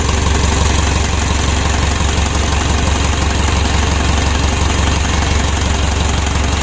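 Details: 2012 Mitsubishi Pajero Sport Dakar diesel on first start after engine rebuild for rough running and oil burning, thin smoke expected from oil on cylinder liners: steady even low thrum at idle, about three beats a second, no knocks or misses; normal idle.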